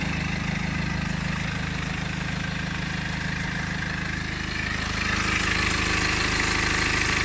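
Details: BMW E60 LCI 2009 N47 diesel at idle: even idle with a fast regular rattle, about three or four ticks a second, over the diesel clatter; owner suspects timing chain noise, source unconfirmed.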